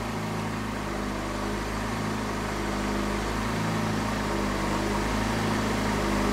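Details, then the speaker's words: Fiat Palio Fire with erratic idle, weak battery known, idle air control stepper motor circuit fault; idle swells and sags every couple of seconds instead of holding steady, hunting idle. "o circuito do motor de Passo Ocioso aí a gente vai começar a trabalhar aqui"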